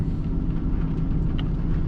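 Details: Nissan Titan V8 with a complaint of multiple misfires, idling while warming up: deep rumble that stumbles and wavers. Scan shows it running rich, with the mass airflow reading too much air; the cause is not confirmed.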